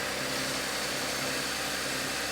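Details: 2012 Chevrolet Camaro V6 after water pump replacement, coolant refill, thermostat closed, air bleeding out: even, steady idle with smooth running note, no knocks, ticks or squeals; belt squeaked once at startup; engine sounds healthy.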